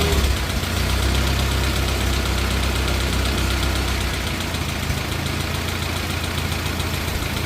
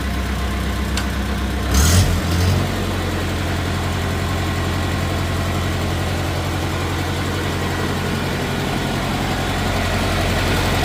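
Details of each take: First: 1950 Farmall Cub after engine rebuild with pop-up pistons, replaced magneto and new on-off switch: steady, even, quiet idle with regular firing, no misses, no smoke. Normal idle. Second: 1950 Farmall Cub, first start after engine rebuild with pop-up pistons, idling: a faint quick tick, tick at about four per second from two loose exhaust manifold bolts leaking; tightening both bolts cured it.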